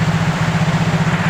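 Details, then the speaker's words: Yamaha Mio J scooter running on new original injector, fault was only in injection (clogged injector, damaged socket): quick even single-cylinder idle putter, no stumbling; normal idle after repair. "ini sudah hidup ya untuk mesinnya sudah aman kerusakan hanya di bagian injeksi"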